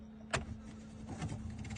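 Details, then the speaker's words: Car AC blower fan switched on: click, then rough fluttering rush over steady hum that worsens at higher fan speed; blower fan fouled with debris, fixed by removing and cleaning the fan. "La ventiladora del aire no debería sonar así."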